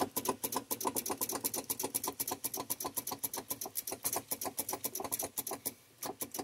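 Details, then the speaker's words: Volvo VNL truck with Cummins ISX diesel, battery voltage confirmed: rapid sharp starter clicking with no cranking, engine never turns over; owner suspects failing starter needing replacement, unconfirmed. "I just need this thing to run I can hear the starter clicking down"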